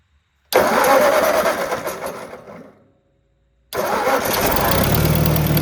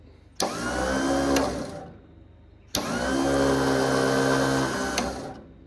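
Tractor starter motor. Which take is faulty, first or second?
second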